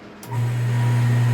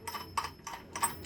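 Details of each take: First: Half-horsepower peripheral household water pump after repair: runs twice for about three seconds each, smooth steady low hum, no grinding or rattle; running normally after repair. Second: Half-HP peripheral water pump, fan turned by hand: light irregular ticking rattle in bursts as the impeller wobbles side to side with play on its rotor shaft; pump makes the same noise when running.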